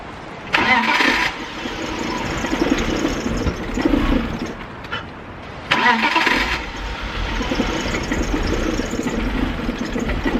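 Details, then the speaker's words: 2000 BMW E46 323ci, cold start: two cranking starts, each catching to a wavering, stumbling idle. Intermittent misfire (sometimes it runs fine), cause unknown. "So as you can tell, she's running like a bucket of pus."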